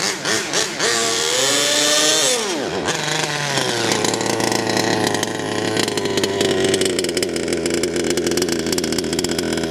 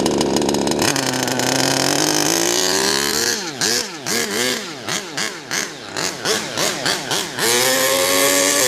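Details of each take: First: HPI Savage Octane RC truck, petrol two-stroke, warmed up: buzzy note climbs then flattens and stutters above half throttle as if running out of fuel; high-end mixture too lean, being richened while low end sounds very rich. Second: HPI Savage Octane RC car engine, carburetor linkage not yet set so not reaching full throttle: high-pitched buzz rising and snapping cleanly through quick throttle blips; running well.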